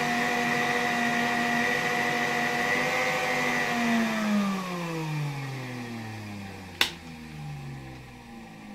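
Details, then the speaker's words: 1959 WZ-factory vacuum cleaner, motor about 130 W, on a 1992 Ukrainian RS-6-220 triac regulator: steady whine, pitch sliding down as voltage is reduced, sharp clicks near end; owner noted the motor briefly speeding up despite lowering voltage, suspecting a voltage spike. "tutaj w jakimś położeniu mimo że zmniejszał napięcie silnik tak jakby na chwilkę przyspieszał tak jakby dochodziło tam do jakiegoś skoku napięcia"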